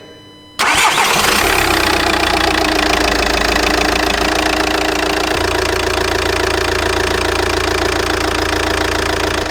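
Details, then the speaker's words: Faulty VW Passat diesel with no error codes, started cold to judge engine health before repair: the starter turns briefly, it catches at once and settles into a steady even idle without knocks; sounds fine, oil pressure to be checked at 80 °C. "Pare tot în regulă, o lăsăm să ajungă la 80 de grade să vedem presiunea de ulei și stabilim după dacă e ok sau nu."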